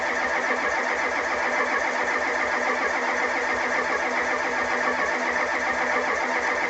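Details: 1985 Ford F250 6.9 IDI diesel, 4-speed manual, unstarted 4–5 days at down to −27°C, −17°C today, frosted engine: cranks steadily about two and a half compression beats a second, never fires; cold no-start from gelled fuel, no anti-gel added.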